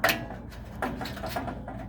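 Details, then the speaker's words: Weber gas grill igniter after fitting a battery correctly, previously not sparking at all; sharp, quiet snapping clicks repeating every few tenths of a second in a small room; igniter sparking normally. "Yep, I can hear it now."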